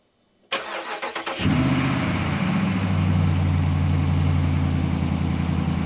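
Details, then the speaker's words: 2017 Ram 1500 Rebel V8, cold-soaked several days, cold start after fitting a BD Diesel exhaust manifold to fix an exhaust leak tick: short crank, quick catch, smooth even idle with no tick, and a slight cold belt squeal. "But the important thing is that there's no longer an exhaust tick, no longer an exhaust leak."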